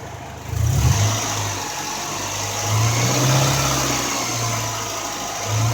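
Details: 1995 Honda Accord with bad expansion valve, engine revved with A/C compressor running: steady high hiss over held revs as the compressor relief valve blows out near 500 PSI high-side pressure; obstruction suspected.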